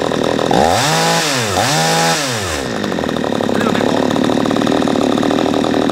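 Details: P1PE P6220C chainsaw with high-speed mixture screw unscrewed well out (too rich): revs climb lazily and sag twice without screaming, gutless and slow on high speed, then settle to a burbling idle.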